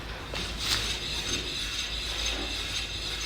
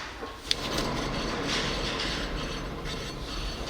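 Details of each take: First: 2005 Scion tC, 169,000 miles, rear wheel spun by hand: light hissing scrape from brake pads after five days sitting in rain, ten miles driven, no play and no bearing hum, so a healthy wheel bearing. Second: 2005 Scion tC with 169,000 miles, front passenger wheel spun by hand; steady gritty rumble and hum from a worn wheel bearing, causing loud cabin noise while driving, bearing to be replaced.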